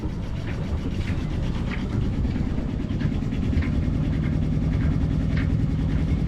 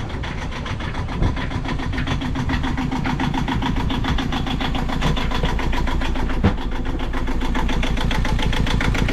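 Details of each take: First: Yanmar 2GM20F sailboat diesel idling in neutral just after lift pump and mixing elbow replacement and fuel priming; water flowing out, idle a little rough but steady low chug with even beat, no knocks or misses; new lift pump seems good, seems to be running normally. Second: Yanmar 2GM20F sailboat diesel just after lift pump and mixing elbow replacement and fuel priming, in neutral: steady low chug idle with unevenly wavering firing; rough idle, cause not yet known.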